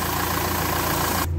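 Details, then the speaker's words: Renault Espace 4 diesel at idle: steady low rumble with even firing, no misses or knocks; the engine sound changed and there is no more air in the fuel. An air-intake leak is still to be repaired. "je sens la moteur elle a changé le bruit là les amis donc là ici j'ai plus d'air tout va bien"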